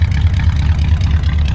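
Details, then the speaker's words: 1964 Chrysler New Yorker V8, parked over two years, first start after the fouled spark plugs were addressed and the carburetor cleaned: low, even burble with a regular lope, no ticking or skipping; slight exhaust leak suspected; normal idle. "i would say she's looking and feeling like a car again now i just took the car over to get some gas and it runs and drives amazing"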